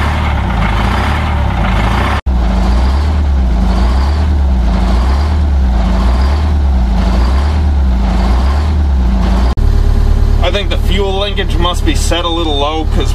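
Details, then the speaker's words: The 853 diesel, cold, on its first start in almost two years. Slow, heavy, lumpy diesel idle that sags low. Slight pedal pressure holds a nice 600 rpm, so the pedal linkage needs adjusting. Low idle. "the uh idle is holding very nice right at 600 um so we need to just adjust the uh the pedal a little bit"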